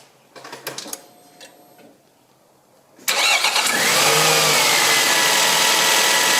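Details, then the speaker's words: Nissan X-Trail after replacing the alternator, whose damaged bearings caused grinding: starter churns, engine catches and settles to a steady, even idle; grinding gone, output 14.1–14.7 V. "here is the final results and grinding noise has been completely disappeared"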